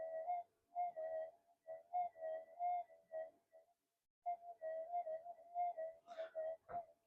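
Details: Near-new Minelab GPX-5000 being modded, tested with the amp cranked up. A clean, mid-pitched warbling tone pulses in short bursts as the coil passes a small target, a normal detector response.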